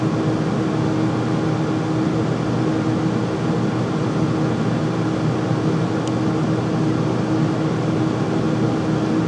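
Constant loud airy roar with a steady humming tone on top that never changes; the furnace is noisy running, cause unclear.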